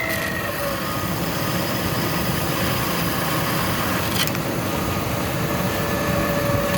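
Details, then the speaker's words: 1997 Ford Expedition Eddie Bauer 5.4 Triton V8 idling on cold start: faint steady high whistle over engine rumble from driver's-side idler pulley bearing, stops when idler is held; not alternator, intake or vacuum leak. "See that idler right there? Watch. With the engine running. That's the idler right there. Stop it. Hear the whistling?"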